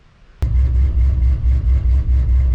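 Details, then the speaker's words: Low Country OBS truck V8 after replacing a spark plug wire with a shorter spare: catches sharply and settles into an even, loping idle, no misfire stumble, running on all cylinders again; normal idle. "yeah, now she sounds right. There we go. There we go, baby."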